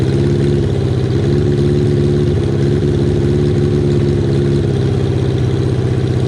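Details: Kawasaki KZ550, carburetor just reassembled with air screw set about half a turn out, cylinder one idling poorly only at idle: low uneven loping idle with irregular beat; vacuum leak from a split intake boot.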